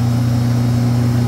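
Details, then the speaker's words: Walk-in freezer compressor found very hot, with 207 V measured on all three phases: a loud heavy strained low drone with no cycling, the compressor sounding labored. Technician suspects a thermal overload trip. "That compressor sounds like death right there."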